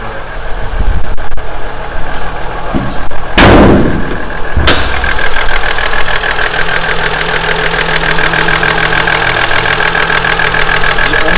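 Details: Toyota 2JZ-GE VVT-i six-cylinder idling cold after about five minutes; fast, busy ticking over the hum, which gets worse warm; owner first suspected the VVT-i cam gear, but it turned out to need a valve adjustment.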